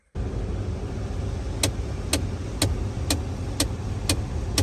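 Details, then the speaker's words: 2016 Ford Expedition, in garage: sharp clicks about two a second from the dash over low idle when temperature set to low, from the blend door actuator (believed the cold-side one); worse when hot outside, actuator replaced as fix. "so as you can see there's the clicking noise when I turn it to low once it gets to a certain spot it'll start clicking and eventually it'll stop but that's what I'm going to try to fix today"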